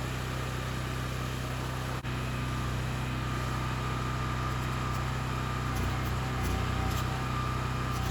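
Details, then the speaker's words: Wacker Neuson GP6600 6600W gas generator after carburetor cleaning, no more surging, powering a welder doing tack welds. Steady, even drone holds speed without hunting and without tripping the breaker. Normal running under load. "doing some tack welds welders not the best but the generator is working it's not tripping the breaker everything seems working perfectly"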